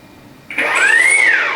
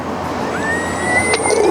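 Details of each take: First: 3D-printed Ardupilot RC power boat at beach sea trials, motors armed, throttle added: a short whine climbs smoothly and eases back evenly with no rattle or stutter; a healthy motor spin-up. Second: 3D-printed Ardupilot RC offshore power boat on sea trial with lighter battery in new position: rising electric whine into high tone with uneven surging and splashy roughness; propeller still cavitating, more rear weight suggested.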